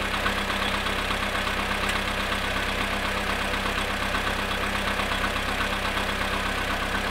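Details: VW Polo sedan engine at cold idle, -2 °C, after sitting 22 hours: steady idle with fairly regular light knocking, about 80 a minute, over the engine hum; source unconfirmed.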